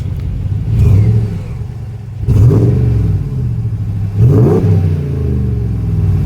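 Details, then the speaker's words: RAM 1500 DS/DT petrol V8 HEMI after replacing cracked exhaust manifolds (LH & RH) to cure ticking: three clean throttle blips rising and settling smoothly, no ticking between revs; normal revving, manifold leak gone. "Listen to that. Love the sound of a V8 in the morning."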